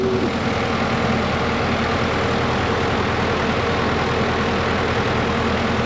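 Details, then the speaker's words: Cat 312 excavator diesel after replacing a blown hydraulic line and hoses, run to check for leaks: even, steady drone with no knocks, whines or misses; running smoothly, no leaks seen so far. "So, so far everything's looking good."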